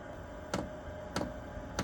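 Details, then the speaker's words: Dosing pump on a Chinese diesel heater (Vevor, blue controller) ticks sharply about every 0.6 seconds over a faint fan hum once the glow plug warms, delivering fuel to the burn chamber at start-up; normal dosing pump ticking. "And then you'll see a symbol come down here, which when you hear the ticking, that's basically the pump starting to kick in and put some fuel into the burn chamber."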